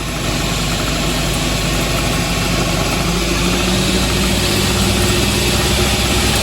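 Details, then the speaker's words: 2014 Honda Ridgeline Sport 4x4, driveshaft turning, heard from underneath: steady low hum and rumble with slight rattle; rear u-joint of rear driveshaft bad, non-serviceable, fixed by replacing the whole driveshaft. "So, we need to check out the U-jints. You can kind of hear the drive shaft rattling a little bit."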